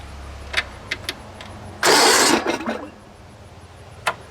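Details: Short burst of solid starter cranking under a second, turning freely without catching, on a Sears SS16 garden tractor with 16hp Onan twin, sitting a few years; key switch bypassed, power confirmed at coil.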